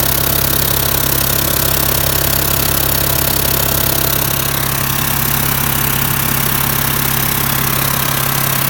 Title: VW T4 strange engine noise, exhaust manifold?